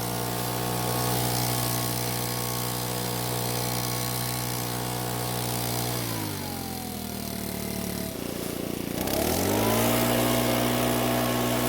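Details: Makita four-stroke handheld leaf blower, previously would not start (lost carb part), test-run after oil change with oil topped past dipstick midpoint: steady high buzz drops cleanly then climbs smoothly to full throttle. Quiet at idle, not loud at full throttle; runs healthy.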